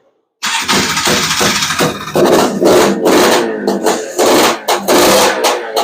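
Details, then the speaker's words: Honda Odyssey FL350 with Lectron Billetron 38 mm long-body carburetor, cold start on choke during tuning: ragged surging bursts that stumble and never settle into idle; metering rod to be adjusted; lean running from mistuned carburetor. "oh yeah I'm not I'm not even going to I'm not even letting that run for 10 minutes doesn't even sound good"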